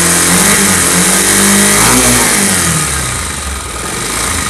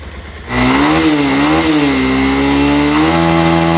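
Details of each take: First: Pulsar motorcycle engine revving up and dropping back: rough, uneven clatter riding on the exhaust note, something mechanical loose inside; abnormal engine noise when revving. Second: Pulsar motorcycle engine: settles into a steady, even buzz with a brief rev rise and fall, no knocking, rattling or ticking; smooth, normal running.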